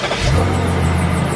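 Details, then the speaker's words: BMW 745i after starter replacement: a short, strong crank catching straight into a steady run, with no grinding or clicking. Normal cranking and start. "oh that sounded nice that kicked over real nice"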